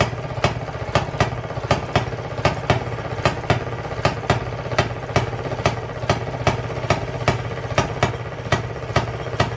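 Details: 1920s Maytag two-stroke washing machine engine, said rebuilt, first start in 5+ years after cleaning the points: sharp single pops about once a second with coasting between; fires every revolution, then flips to hit-and-miss; runs good.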